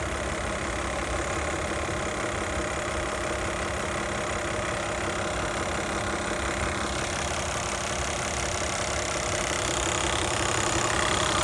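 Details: 2008 Toyota Highlander 3.5L V6 2GR-FE at idle, only once warmed up: loud, fast, sharp, steady ticking over an otherwise smooth idle.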